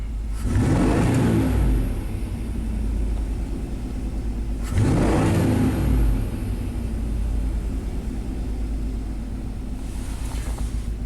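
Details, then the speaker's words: 1991 Chevy K1500 V8 with persistent idle problem, running with Schrader valve removed from compression transducer hose to check valve timing: two wide-open throttle snaps with uneven lumpy rumble between; single cylinder misfire. "He's got a single cylinder misfire now, of course. Just let it stabilize."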